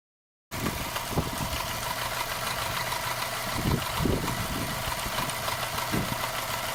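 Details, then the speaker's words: Subaru boxer engine after repair with the timing marks aligned: a soft, even idle with a steady low hum and no knocking or ticking, the engine just whispering. Normal idle after repair. "все даже ничего не [музыка] вот вот она шепчет"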